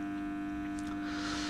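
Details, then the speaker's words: 1 kW off-grid solar setup with charge controller, inverter under load drawing about 8–10 A: steady electrical hum, clear tone in the low hundreds of hertz, no buzzing or crackle; inverter running normally under load. "्योंकि inverter पे load पड़ता है तो inverter थोड़ा, ये आवाज़ जो आ रही है इन्वर्टर की आवाज़ आ रही है।"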